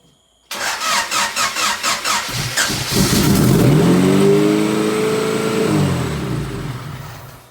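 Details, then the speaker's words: Built turbo 1992 Honda Accord H22 (sleeved, pistons and rods, GT3582) first start: quick cranking, fires and flares to high revs, hanging and slowly settling; high idle from open vacuum hoses, vacuum leaks everywhere. "i don't know if you heard well of course you heard how high it ripped obviously uh vacuum leaks everywhere"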